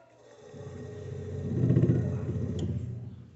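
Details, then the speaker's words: Electrolux DC37 fridge that runs but doesn't cool: the compressor hums and vibrates, trying to start, then the thermal overload protector clicks it off on high current. It is a locked compressor failing to start. "O motor tenta partir, fica vibrando, depois vai desliga pelo protetor térmico, porque esse estralo que o motor dá é um protetor térmico que tem quando a corrente tá muito alta."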